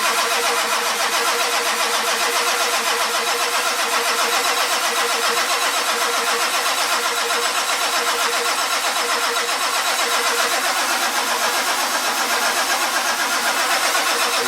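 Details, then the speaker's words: 1946 Ford truck fitted with a turbo diesel, cold day around 49°F, cranked after glow plug heating: steady fast starter whirring about four beats a second, no firing or catch; cranks but won't start. "got nothing. I'm a big fat idiot."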